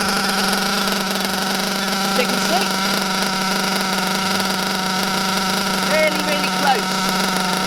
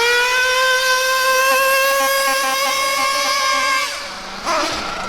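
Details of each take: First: Bio Hyper 7 nitro buggy with a Mach 28 engine: the high-speed needle is turned counterclockwise to a very rich setting. A steady droning whine holds one pitch with no crisp revving; the buggy is sluggish (35–40 mph expected) and puts out heavy blue exhaust smoke. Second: Mac 28 nitro engine in a bio Hyper 7 RC car at full throttle in cold weather: clean, steady high-pitched scream before easing off; high-speed needle setting judged good, slightly rich.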